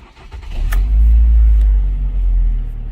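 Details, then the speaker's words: Ford Focus that ran terribly with lean code P0171 because of a broken air box, started after the fix with codes cleared: it catches quickly and settles into a smooth, even idle with no stumble or hunting. "I'll tell you what, that sounds pretty darn smooth. I'm confident that was the issue before."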